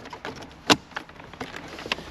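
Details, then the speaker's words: Carbon Off-Road 15K TANK winch on a Prado 150, hardwired in-cab switch: sharp, dry solenoid clicks on winch in/out with no motor running, because motor power is isolated; normal solenoid operation. "so you can hear the solenoid clicking yeah but physically the winch won't operate because there's no power to the motor cuz we've isolated it"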